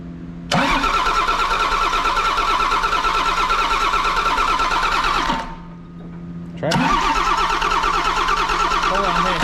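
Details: John Deere 6068T PowerTech diesel, stored four to five years, return line just hooked to an external blue tank; two long steady cranking runs with no firing, spinning but not catching, fuel-starved by trapped air: air in fuel system.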